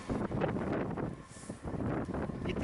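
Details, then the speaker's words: Hyundai R290LC-7A excavator diesel with reported misfiring, black smoke and engine knock: harsh booming undamped exhaust bark from a homemade muffler welded from an oxygen cylinder; injectors being removed for bench testing. "Здесь у него интересный глушитель, приваренный из баллона с пропаном, или из чего он сделан? Кислородный баллон."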